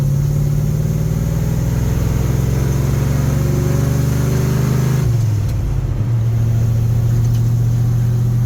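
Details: Big-block Ford V8 with 750 CFM Brawler carburetor, fully warmed up after trailer hauling, cruising through town in third gear: steady even low drone with a smooth pitch shift partway, no misses or knocks; runs great.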